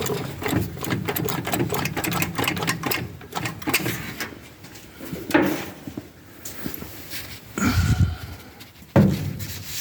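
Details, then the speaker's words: 1966 Pontiac Tempest two-door hardtop barn find, first start attempt in 20 years, carburetor freshly filled and old tank unhooked: slow, dragging crank that fades between tries and never catches; owner suspects a dead battery. "turn the key on well in the little red lights are on and we'll see if it'll fire off sounds like my battery's dead"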